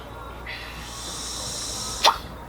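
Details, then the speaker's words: Turbo car, PCV hose swapped for a spare hose and blown into by mouth, 2-3 psi on gauge: soft air hiss for about two seconds with a brief puff, boost leaking at a loose intercooler coupler. "you hear that hissing first of all check out the gauge when I do this I can actually get two or 3 three PSI just by blowing through that hose and you can hear the hissing so there's definitely a boost leak"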